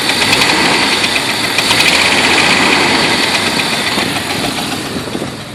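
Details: Jeep Wrangler petrol engine idling with a fast, fairly regular knock, about three or four a second; cause unknown, owner asking what it is.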